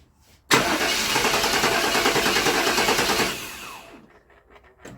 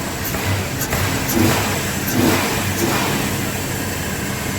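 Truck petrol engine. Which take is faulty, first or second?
first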